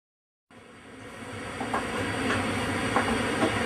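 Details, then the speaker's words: Vox Continental organ preamp card before repair; once powered, a steady hiss sits over everything with faint hum underneath. Preamp hiss generally caused by transistors, possibly bad resistors; transistors to be changed first. "we have a Vox Continental, and as you can hear, it's a little hissy. This is the preamp card over there, and that's generally caused by transistors."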